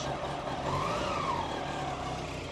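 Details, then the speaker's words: 1999 Yamaha R1, carburetted, started on choke and warming up before an oil change: a low, steady idle hum with no head noise, knocks or rattles. The engine is smooth and healthy. "absolutely silent on this side there just no noise at all more choke off it's like no head noise no rattling it's a beauty this one"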